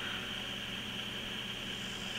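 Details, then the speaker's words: Baby AT retro PC build with an AMD K6, powered on using a temporary Nvidia graphics card: constant high-pitched airy whir with a steady hiss and no speed change. Noisy graphics card cooling fan. "it's got a temporary video card i won't be using that video card not to mention it's incredibly noisy if you can hear that it is an nvidia graphic card"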